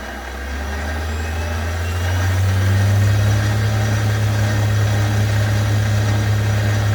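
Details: Chinese mini lathe after re-seating a dislodged magnetic speed pickup magnet on the chuck shaft, sensor about 8 mm from magnet, run up high: even motor hum, steady tones rising and settling, no knocks or grinding; normal spindle run.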